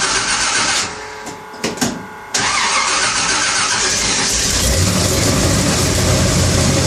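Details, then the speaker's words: Engine that won't idle even with the idle turned all the way up, on a vehicle with a coolant leak. It runs rough with an uneven, lumpy beat and some clatter, which the owner thinks sounds like an exhaust leak. Cause unconfirmed. "uh still it's it's running rough it's got a little bit of that clatter I don't know if you could hear it in the video but it's got some sort of a clatter to it"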